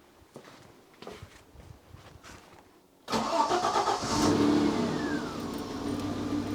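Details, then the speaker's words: Citroen XM 3.0 24V V6, hot restart after standing with engine off to heat-soak (previously hard to start and uneven when hot): a few quick cranks, fires at once, smooth even idle on all 6 cylinders; normal hot start. "It starts just right up, and it's running on all 6 cylinders. It's even more smooth."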